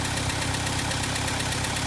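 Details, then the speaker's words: 1964 International Scout 80 four-cylinder, partly warmed up, off choke and idling on its own: even, low-pitched idle with regular firing pulses and no misses; healthy. "But this is just off choke and it's just running by itself. So, I mean, overall, a good little motor for this thing."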